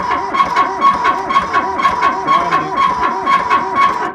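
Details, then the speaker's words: Kubota B7100 with loader, left about 10 years in a collapsed barn, first crank attempt: a rising-and-falling squeak about twice a second in step with slow cranking; owner suspects the hydraulic pump, not confirmed. "It's trying to do something. Something sounds awfully squeaky. I don't know if it's this. I think the hydraulic pump might be making squeaking."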